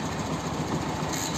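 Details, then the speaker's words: TVS XL 100 running: fast metallic chatter from the kick-start, which stays down and doesn't return because its return spring has gone weak (not broken); noise stops when the kick lever is lifted up. "आज मेरे पास TVS की axle 100 है और इसके kick से आवाज आ रही है देखो ये मैंने स्टार्ट किया देखो साउंड आ रहा है ये देखो साउंड आ रहा है जैसे ही ऊपर करेंगे साउंड चला जाएगा ये"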